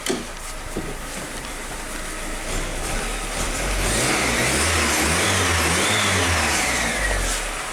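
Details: Audi 80 petrol engine, cold, after the distributor cap was corrected and the plug leads swapped back to the right cylinders; quiet even idle rises smoothly through a short rev and settles without misfire; normal idle and revving.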